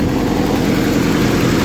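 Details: 1995 Jeep Wrangler YJ, 2.5L four-cylinder, five-speed; loud, steady idle with an even beat, belt squeal at startup, manifold leak noted; normal idle.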